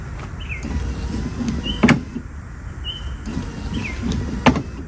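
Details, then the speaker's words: 1998 Ford Ranger wiper motor running with a squeak and sharp clunk about every two and a half seconds, once per sweep; linkage clip had popped off, bent back into place and wipers then worked. "Oh, that noise sounds horrible. Oh, well, let me figure out what's going on there. All right, guys. So, uh I was able to bend this that clip back into place. Basically, the clip popped off."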